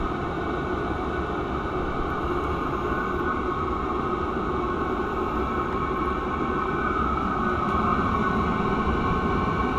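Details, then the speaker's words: Cheap Chinese diesel heater running after startup and getting very hot: a steady, even burner roar with no surging or misfire, and the fuel pump ticking is barely audible. Finding: normal running. "it sounds like a jet engine getting hotter getting a lot hotter"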